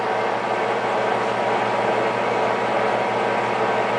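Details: JET 18 x 80 inch gap-bed geared-head lathe, 230 V three-phase 7.5 hp: smooth, steady gear hum with even low drone, no knocks or grinding; headstock runs cleanly and healthy.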